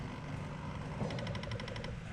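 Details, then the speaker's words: FiTech throttle body on the bench, jumpered to power and switched power: about ten quick even clicks over a second at power-up, the idle air control motor stepping normally. "I can hear things clicking. There we go. I hear the throttle body clicking."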